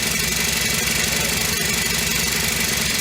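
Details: Honda FG100 four-stroke single-cylinder mini tiller after repair, choke off and idle raised: a smooth, even putter of about four beats a second with no knocks or valve clatter, much quieter than the day before when it had no valve.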